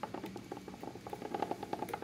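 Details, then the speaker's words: DeLorean manual transmission, removed for casing split and reseal due to leaks: pushing in on the driver's side output yoke gives quick light clicks, smoother when pulled out with slight play; owner unsure if normal. Clicking when turned. "you can hear it like kind of click click but if i kind of pull out on it because there's a little bit of play it's a lot smoother"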